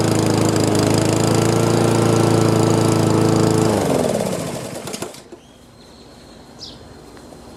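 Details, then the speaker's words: Honda GCV160 lawn mower after carburetor cleaning and draining overfilled oil, warmed up; single-cylinder holds steady, even beat before winding down and stopping: running smooth, normal. "sounds like it's starting to run smooth had to get it uh get it warmed up and uh get the fuel flowing but uh that's awesome"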